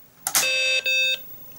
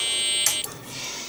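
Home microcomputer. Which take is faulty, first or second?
second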